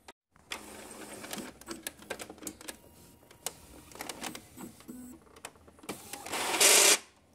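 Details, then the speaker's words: Epson L395 inkjet printer at power-on self-test: ticks and whirs, then an intermittent harsh rasping as the carriage drive slips during a turn; gears at the paper feed and tray suspected. "E em alguns momentos ela faz um barulho como se ela estivesse deslizando ali."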